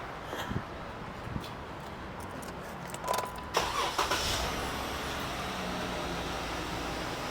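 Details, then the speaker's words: 2013 Jeep Wrangler starting after three spark plugs replaced on first bank: brief crank, engine catches cleanly, settles into steady, even idle with no misfire or stumble; car works. "Car works. Pretty good."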